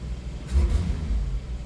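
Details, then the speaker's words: 1989 Jeep YJ with Weber carb, warmed up, air filter back on, choke now working, idle a little high. Idle rumble, then a stab of throttle makes the revs bog and stumble before catching, trying to backfire. Tip-in hesitation; owner suspects timing, a vacuum leak or running rich. "but I don't know if I can get it to replicate the problem or not, but if you go from just straight idle to kind of punching it, it hesitates."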